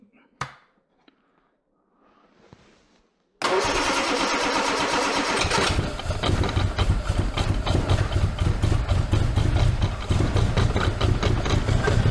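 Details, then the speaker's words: Armstrong Siddeley Special, restarted after float adjustment; owner thinks a pressure regulator is needed after the fuel pump. Catches then runs lumpy and uneven, beat stumbling; owner suspects points have moved again, unconfirmed. "Well, it's not happy, is it? Oh, that's not happy again. Right, better check the points haven't moved again like they did last time."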